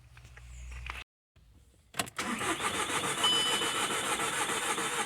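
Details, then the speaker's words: 2004 VW Golf TDI diesel, crank no start, cranked on a jump pack: fast, light, perfectly even cranking with no compression chuffs and no firing. It sounds like a broken timing belt; a stuck intake flap with a fault code can sound the same. "sounds like when the belt breaks something like that it is a broken belt so that's the same sound this is the belt isn't rotating when you're cranking it so the belt's broke"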